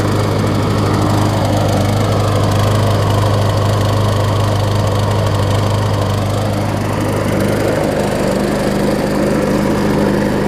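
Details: John Deere JS63C walk-behind mower, a free pickup, first run after a new flywheel key was fitted: small single-cylinder engine holds a steady, even beat with no stumbling or surging, running smoothly.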